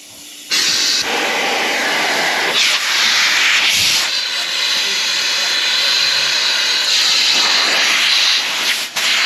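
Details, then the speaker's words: 1983 Ford CL9000 cabover cab on a stand, fed shop air through the brake foot valve: a strong continuous hiss rises as the pedal goes down and keeps blowing out the back of the cab from an open short air line; no air pressure builds. "that's coming out of this one here the short one here now here's the yep I hear that coming out the back of the cab so I don't have I'm not getting uh air pressure"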